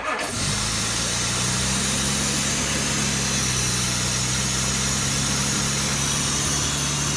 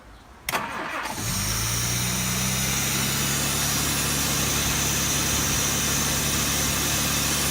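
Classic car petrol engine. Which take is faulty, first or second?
first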